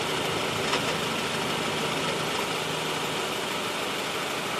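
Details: 2013 Honda Civic at cold idle with the air conditioning on: a dense, steady rattling whir with a faint low hum that goes away when the clutch is pressed. Suspected AC clutch noise, not confirmed.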